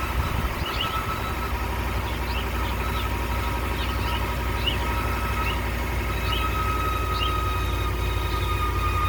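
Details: 2019 Ram 1500 cold start idle: steady high squeal with bird-like chirps. Alternator, battery and battery sensor replacements did not help; replacing the idler pulley and tensioner together appears to have stopped it.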